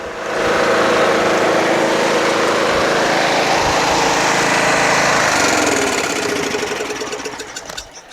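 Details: Toro Wheel Horse 1238XL lawn tractor after carburetor replacement, restarted by jumping the busted solenoid: small engine settles into steady regular idle before shutting down, no stumbling or hunting; charging at 13 volts, running properly.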